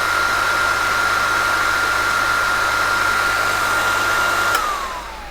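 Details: ASR33 Teletype printer motor, tested with start relay, no load, runs freely with no excess current; steady even hum with clean fixed tone, then smooth falling pitch as it spins down; normal motor run.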